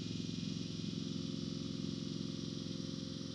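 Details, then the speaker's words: 1971 Chrysler New Yorker 440, revived after sitting 20-plus years, fed from a fuel jug; an electric fuel pump ticks steadily about 2.5 times a second while priming a dry line, before the fuel loads. "Here comes the click. You can hear it clicking. You'll hear when the gas loads."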